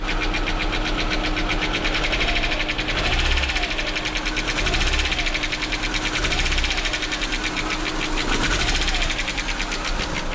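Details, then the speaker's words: VW Passat B5 1.8 turbo: fast, light tapping from the top of the engine (cylinder head) over a lumpy idle that swells and dips; camshaft knock, one or two cylinders not firing, a third cutting in and out. "Вот е не разбирая мы слышим то что это звук идёт сверху двигателя то есть с головки мы знаем проблемы Этого мотора проблемы с цепью распредвалов и так далее Также мы слышим что не работает один или же даже два цилиндра"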